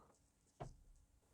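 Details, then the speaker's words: Mercedes W220 S-class with "entrance position do not drive" error, during steering column bidirectional test: a single sharp relay click in a quiet cabin with no motor whir, steering wheel doesn't move. "I can hear the relays clicking, but nothing happens on the steering wheel."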